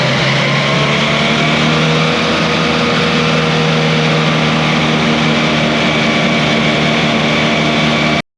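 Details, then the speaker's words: Swather cutter bar after repair, with the hub refitted and timed: a steady, even engine drone and smooth constant hum with no knocking or clatter. The cutter bar is running normally and is fixed. "Well, he's good to go, he's fixed, so I'm gonna go clean up my mess, put my tools away, and I'm gonna end this video right here."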